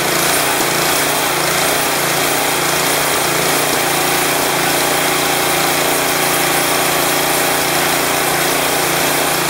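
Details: Craftsman 179cc 22-inch snowblower Powermore engine, fresh gas and Seafoam added, taken off choke: loud rattly engine speed keeps swelling and sagging; surging from clogged carburetor main jet.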